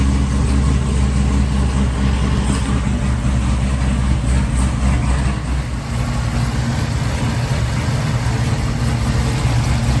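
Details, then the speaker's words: 2017 Chevrolet Camaro ZL1 supercharged LT4 V8 on a quick start-up after refitting a damaged supercharger belt: deep, steady idle with even burble and no squeal, slap or rubbing; nothing shredded, normal idle. "Okay, everything looks good. I don't see nothing shredded so far."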